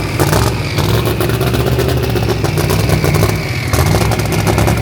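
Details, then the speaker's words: Race Duster on first start before dyno tuning: loud, uneven, lumpy running with scattered clattering pops over deep exhaust drone; owner suspects injector harness flipped side to side despite wiring to OEM specs. "It sounds like the injectors are flipped on side. So I wired it to OEM specs, but it doesn't mean the injector harness isn't backwards."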